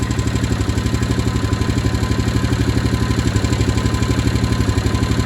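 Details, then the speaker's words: 2015 Honda Rubicon 500 IRS ATV after a first top-end rebuild, idling with an even top-end ticking about four times a second, noisier than before; owner suspects valve clearance now a little tight, not confirmed; valve train ticking. "sound a little noisier. It wasn't doing that before. Like the uh it sounded like that before though. What? >> Sounds like the valve might be a little tighter."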